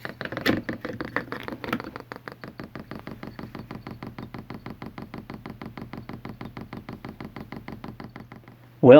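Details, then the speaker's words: Chinese all-in-one diesel heater, replacement "quiet" fuel pump in prime mode, testing in and out of a plastic sound-dampening case, pump not frame-mounted: rapid even sharp ticks, five or six a second; normal dosing-pump clicking. "i'm going to go in the front control panel and put this in prime mode which basically turns the fuel pump on"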